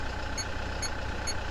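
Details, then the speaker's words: Engine idling low and even with a steady rumble, no knocks or misses; after start, battery reads 13.6 V, so charging system, alternator and starter motor are healthy; no-start blamed on an aging battery, owner thinks 3–4 years old. "Ibig sabihin, gumagana yung ating charging system. Walang problema. Napaka-healthy ng ating starter motor. At ganun din ang ating alternator."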